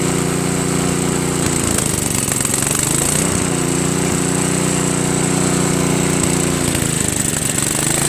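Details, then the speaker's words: Craftsman 522 snowblower with Tecumseh engine, sat for years: small single-cylinder idle holds fairly even but sags and recovers twice. It runs only on choke or half choke, lean and fuel-starved; owner suspects a hardened, collapsed fuel line or not enough fuel reaching the carburetor. Auger doesn't spin. "Idles pretty well, but it runs only on choke, you know, or halfway. Put it to halfway."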